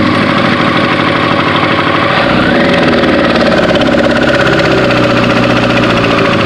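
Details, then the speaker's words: 2001 Yamaha R1, recently repaired after an accident: fast ticking over a steady idle, loudest up at the valve cover. The owner suspects a valve problem, cause unknown. "it sounds like I'm having a funny noise almost like a valve not right inside of there no way you can see that he sounds like he's coming from right up there and the valve cover"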